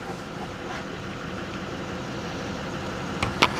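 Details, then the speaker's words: Salvage four-wheel-drive turbo pickup with front-end damage at a Copart yard, weak-looking battery, fired right up with no check lights: steady, smooth low-rumble idle with no knocks or misses, a couple of outside clicks; normal idle. "let's see fired right up sounds good too"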